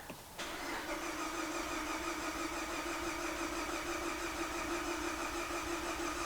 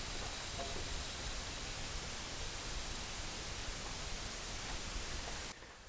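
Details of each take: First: Car with coolant in the oil, said to have a blown head gasket, cranked in clear-flood mode while testing the coolant for combustion gases: steady cranking with even compression beats, none skipped; normal compression and no combustion entering the cooling system. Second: Coolant leaking into the crankcase on a car towed in with coolant in its oil, earlier diagnosed elsewhere as a blown head gasket: with the cooling system pumped up to pressure, a frying-egg sizzling, bubbling hiss comes from the oil dipstick tube, then fades as pressure drops.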